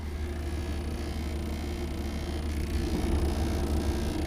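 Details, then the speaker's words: Victron Multiplus inverter in a 1999 Ford E-450 shuttle bus, idle with nothing connected, drawing 6–9 amps instead of about 2.2: low hum with uneven cycling buzz and fan noise; faulty transformer, confirmed by Victron. "So when it makes the noise, there's definitely something wrong with this inverter. The inverter started making worse sounds now, so listen to this."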